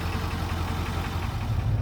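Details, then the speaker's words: 1997 Ford Powerstroke diesel restarted after sitting a couple hours: deep, steady idle with even low beat, no misses, knocks or stumbles; fires right up, healthy idle. "I'm just gonna tickle it. It'll go. >> Oh my god. That's how you want it to go every time."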